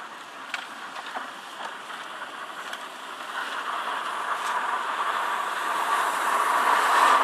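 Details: Car with TDI 150 diesel engine: steady airy rush climbing and growing louder with no knock underneath; heater blower fan noise.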